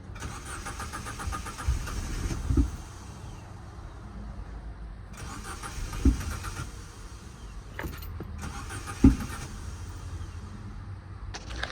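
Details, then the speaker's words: Project Corsa with a 4-channel ignition module, fuel pump priming: cranks in uneven bursts, catches briefly with a low rumble, then dies; owner suspects the throttle body still isn't working. "So the car seemed like it was wanted to start and it died down. So I'm assuming my throttle body still doesn't work"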